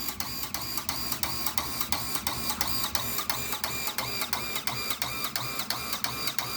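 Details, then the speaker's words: Household water pump motor fed from a 10,000-litre tank, with a burnt, broken pressure switch contact: sharp, regular clicking clatter about three times a second that never stops, even with one tap open; pump runs continuously. "มันดังอยู่แบบนี้ตลอดนะครับขอคำแนะนำจากผู้รู้หน่อยนะครับ"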